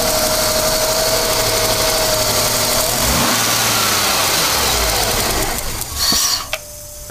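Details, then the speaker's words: 1996 Ford Falcon EF 4.0L inline six runs steadily, then sags and dies as revs fall back to idle after a rev; restarts sometimes unaided. Cause unconfirmed. "so it's running all right at the moment but as soon as you rev it and let it back to wired a little um die out"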